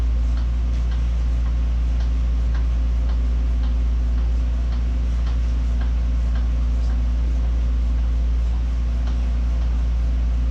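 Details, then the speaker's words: Invacare HomeFill 2 oxygen compressor after replacing the cylinder 4–5 seals, charging the tank: steady low hum with light ticking about three times a second, building pressure much faster; it sounds good. "it's building pressure a lot faster. Sounds good."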